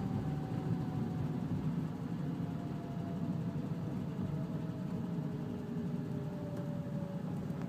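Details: Renault Sandero 1.4 LPG engine: a faint whine sinks steadily in pitch over a low rumble as the engine winds down, appearing around 1500 rpm on deceleration; source unclear.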